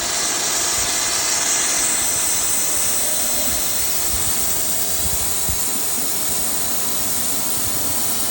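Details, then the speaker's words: Pool pump restarted on auto after filter cleaning with the filter relief valve open: a steady loud hiss over the pump hum as trapped air releases, as intended, until water appears. "While that's turning on, we still have this open. You'll hear air releasing, doing exactly what you want it"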